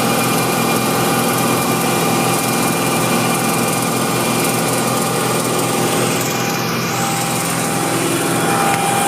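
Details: Light, erratic ticking that comes and goes over the hum of a BMW M60 V8 held at a steady 2500 rpm; cause unclear.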